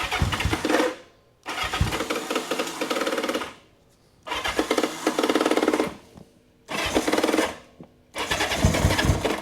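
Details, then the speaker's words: 1976 Honda CB550 four-cylinder that sat for years, fuel on and choke on: electric starter gives short uneven whirring bursts of about two seconds with pauses and never catches; starter clutch slipping. "Let's try again. Let's see if we stand it up. Hey, hey, hey. I'll need a starter clutch."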